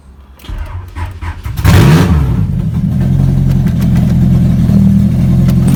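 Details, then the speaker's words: 1992 Honda Prelude, low miles, first start after fitting a new oil pump: cranks briefly, catches and settles into a loud, raw, steady low rumble with no knock or tick; running fine, oil on engine noted. "oh all right so that was working great and yep oil all over it"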